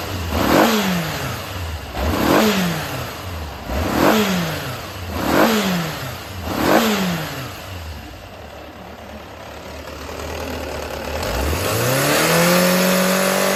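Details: Yamaha XJR400 (RH02J) engine assembly H501E, sold as running with no abnormal noise or white smoke, compression measured: five clean throttle blips, then a smooth steady idle with no knocks or rattles. Healthy engine.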